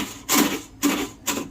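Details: Scooter that will not self-start: three short rasping bursts about half a second apart as the starter tries and fails. The dash lights go out while cranking and there is an odd noise. Owner suspects a dead battery.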